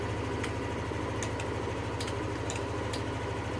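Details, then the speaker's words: Yamaha NMAX v2 scooter that wouldn't start with a check-engine light after refuelling (owner suspects diesel was pumped), now fixed: low, even putter at idle with light clicks, holding steady without stumbling; idles normally. "Testing ulit. So goods na talaga siya."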